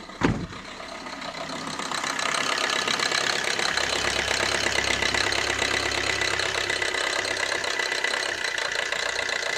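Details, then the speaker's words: 2007 Suzuki Swift diesel, about 5.5 lakh km, long cold cranking and misfire feel: engine clatters at fast uneven idle, RPM rising high a minute after start; scanner shows four DTCs including glow plug and EGR. "Engine के idol RPM देखो बहुत ही high है। आवाज से ही समझता है।"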